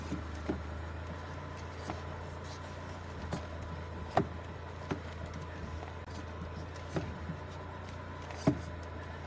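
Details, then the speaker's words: Dodge Caravan, engine idling, steering wheel turned: sharp irregular knocks from the wheel, caused by a loose vibration damper counterweight behind the airbag, not the steering column; removing the weight stopped the noise. "друзі якщо на вашому дочка равані Ви чуєте Отакі звуки від руля"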